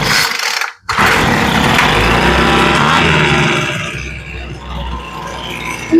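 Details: Poulan Pro two-stroke leaf blower after carburetor replacement and idle/high-speed screw tuning: catches, buzzes high on choke, then settles into steady, even idle without stumbling; running healthy.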